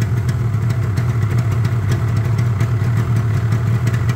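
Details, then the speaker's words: Yamaha RD350 LC F2 power valve two-stroke, about 13k miles, choke just taken off: steady, crisp idle with an even low beat while warming up; healthy. "she's off so we'll let her go warm a little bit"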